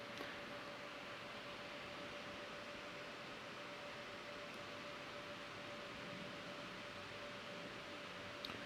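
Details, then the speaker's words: ASUS RTX 3090 Ti TUF at stock OC fan curve, benchmark just launched, 83 °C and rising, fan at 100%, over 60 dB: steady loud rushing hiss with thin constant whistle; cooler fan maxed out, heatsink insufficient. "this just started and the fan you can hear the fan it's a 100 fan now"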